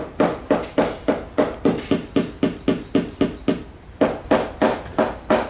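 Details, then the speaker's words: Tap test with a hammer on a catamaran's fiberglass hull: sharp taps about three a second turn dull and hollow in the middle where the laminate is delaminated or unattached, versus normal rebound sound elsewhere; fiberglass hull delamination. "so that's normal that's not a normal sound starting to get more dry until it's completely delaminated or it's not even attached at all"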